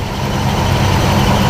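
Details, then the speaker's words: 1970 Buick GS V8 after intake change, in neutral at raised revs: deep steady roar, smooth and even without stumbles or popping, running much healthier with more power. "so fires right up under neutral as you can hear she sounds a whole lot healthier yeah for some of that 70s muscle sound going to her now runs a lot smoother up here"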